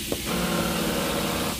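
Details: Volkswagen Tiguan rear trunk door that will not open: when the switch is pressed, a thin motor buzz runs about a second with no latch release clunk. The latch actuator is failing and is being replaced.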